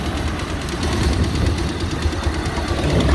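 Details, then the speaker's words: Bajaj Pulsar 150 idling rough after a sudden noise began while riding at about 90 km/h: fast, loose ticking about four per second over the low thump; owner suspects timing out or a stretched timing chain, or tappets. "लेकिन आपने देखा इसमें एक अजीब सी आवाज़ आना शुरू हो गई है cut cut cut cut cut cut"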